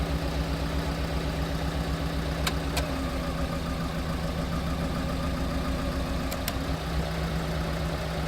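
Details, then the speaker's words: Piaggio Porter / Daihatsu Hijet four-cylinder after replacing the damaged igniter module: uneven, lumpy idle with irregular beats in the low exhaust note, check engine light still on; misfire persists, owner suspects wiring problems. "The check engine light is still on. The problem is still there. I don't know."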